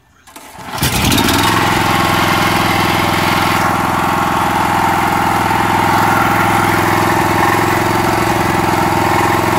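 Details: Honda GX390 13 HP rock crusher motor, just rebuilt, test run on a trailer: catches within a second and settles into an even, steady run with no knocks or misses, idle seemingly set a little too high; runs fine.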